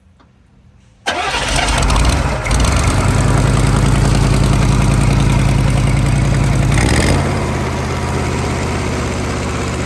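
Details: CUCV squarebody Chevy diesel restarted after the engine blew and holed the oil pan: it catches after a short crank and settles to a heavy, steady knock about three times a second. A thrown connecting rod is hammering inside.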